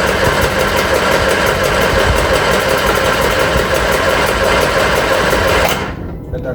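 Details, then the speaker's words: Reliant Supervan 3, petrol engine refitted after years of electric conversion, first start attempt: starter cranks about three turns a second for several seconds, no firing, fuel smell; no spark. "no okay we're going to do a little bit of investigation find out if we've actually got spark we'll come back to in a minute"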